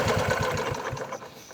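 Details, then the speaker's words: Bajaj Chetak 4-stroke scooter after faulty CDI replaced, running over 10 minutes then revved; quick, even firing pulses fading smoothly as revs drop, no knock or misfire; healthy running. "कोई प्रॉब्लम नहीं है, रेस करने पे भी कोई नॉकिंग, कोई मिसफायर कुछ भी नहीं हो रहा है।"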